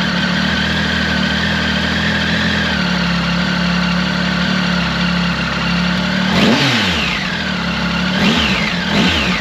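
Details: Triumph Tiger 1050 Sport with new Lextek RP1 full exhaust (baffle in) replacing cracked downpipe: even low idle burble with clean smooth throttle blips; normal idle.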